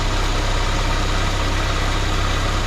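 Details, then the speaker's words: 1979 Chevy LUV pickup, 1.8L four-cylinder, idling with vacuum advance disconnected and plugged: fast, slightly lumpy idle with steady low throb; timing found way too advanced, distributor loosened to move it toward middle mark. "that sure looks to me like it's on way too much so I went ahead and loosened we want to get that up towards the middle mark I mean it's way way Advanced"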